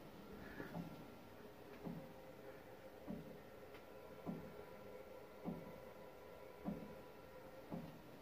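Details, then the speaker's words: House plumbing with newly installed water heater and thermal expansion unit: dull single knocks about every 1.2 seconds while hot or cold water runs; source unknown. "Hear that knocking sound? I'm running the water. That happens when I run cold or hot water."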